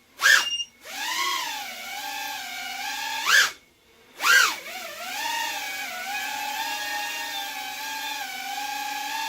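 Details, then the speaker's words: Freshly built Libero 2.5 quad on a nearly dead pack, stored at 3.8 V. Bursts of motor whine on each throttle punch, with sharp beeps from the low-battery warning, then a steady hover hum. "You can hear it beep when I punch the throttle. Battery's dead."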